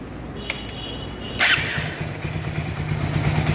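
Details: TVS Apache RTR 4V single after repair of broken rocker arm, loose bearing balls, weak clutch plate, new camshaft bearing, timing chain and adjuster; quick crank then even steady idle with no top-end tick or rattle.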